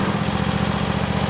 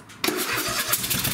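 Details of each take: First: Craftsman lawn tractor with a Kohler Courage 26 hp V-twin, after installing a coil conversion kit for running on one cylinder: even, steady low thrum with no misses or knocks. Normal running after repair. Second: Craftsman lawn tractor with a Kohler 26 hp Courage engine, before a coil conversion kit: uneven, lumpy beat with every other pulse missing because one ignition coil gives no spark; running on one cylinder.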